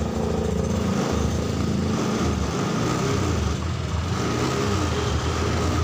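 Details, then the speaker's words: Honda Scoopy injection keyless scooter that had died suddenly and would not start due to a weak, dropping battery: once started, a steady, even idle with a soft low putter and no stumbling. The battery still needs replacing; normal idle. "Coba kita hidupkan jika tidak ada masalah yang lain selain akinya Yang tekor ini Seharusnya motor bisa hidup tuh masih ada pisang hidupnya ya teman-teman"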